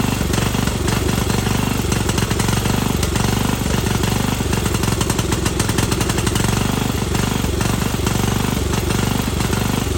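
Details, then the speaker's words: 1998 Yard Machines 13/38 riding mower after sitting several years: single-cylinder thumps with speed rising and sagging every couple of seconds, never settling; bad surge from the carburetor sucking in air. "I got a very bad surge obviously the things suck in air and everything"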